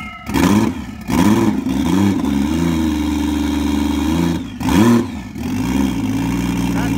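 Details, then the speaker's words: Low-mileage Toyota 1JZ VVTi six, stored about 2 years, first-start health test before an S13 240SX swap, with no coolant: crisp throttle blips rise and fall cleanly with no knocks or rattles. Healthy, though it won't hold idle yet. "That sounds so fucking cool! Yeah! It's healthy. Super healthy!"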